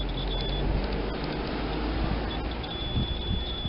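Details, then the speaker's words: Multimeter continuity test on a non-polarized parallel capacitor while hunting a short: high steady beep twice over room hum, low resistance on the negative/ground side, meaning the capacitor is good. "y aquí nos da una resistencia Baja porque y se escucha el pitido de que es la parte de negativo tierra significa que te capacitor está bueno"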